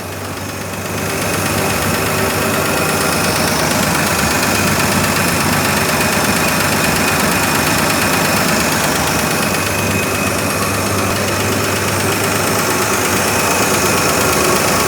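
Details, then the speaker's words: 1963 Ford F100 running cold just after a carburetor clean and rebuild, slight stumble (owner suspects points or cold): quick light ticking, about three per second, over the idle. Owner suspects an exhaust valve nearest the fan and says it needs a valve adjustment. "We need to do a valve adjustment on it. That's what that tick, tick, tick, tick, tick, tick, tick, tick sound is. Sounds like maybe it might be the exhaust valve, the one closest to the fan."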